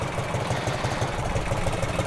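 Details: 1984 Harley-Davidson FLT Tour Glide, breaking in after first 8.1 miles, no smoke or leaks, nearly 200 degrees. Steady, even lumpy V-twin idle with regular low thump, no knocks or rattles; normal warm idle.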